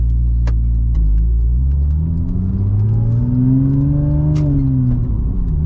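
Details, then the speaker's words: Porsche 996 Turbo, 23 years old, 150,000 miles, driving after vacuum-leak repair, no warning lights: revs climb then fall away cleanly and quickly between shifts instead of hanging as before; normal, healthy under load. "the RPMs definitely drop much faster like they should between shifts before they would kind of hang because obviously I had a pretty massive vacuum lak"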